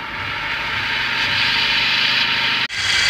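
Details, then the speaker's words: Maruti Brezza, about 86,000 km, bonnet open, radiator fan off: constant high hissing whir over a quiet idle from the fan belt/accessory drive area, heard throughout the car; cause unknown. "मेरे आवाज़ fan band में आ रही है कार के। देख लेना भाइयों ये आवाज़। अलग सी आवाज़ आ रही है पूरी कार में।"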